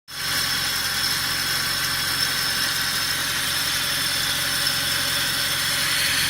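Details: Mercedes W219 CLS63 with M156 engine at steady idle; constant light metallic jingle (shara-shara) riding high over the engine, with play found in the tensioner pulley; belt and pulley set to be replaced.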